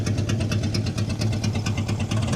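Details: 1958 Plymouth V8 after full build, idling briefly with radiator but no cooling fan, kept short to avoid overheating; even, steady idle with regular, well-spaced exhaust pulses and no knocks or misses; normal idle.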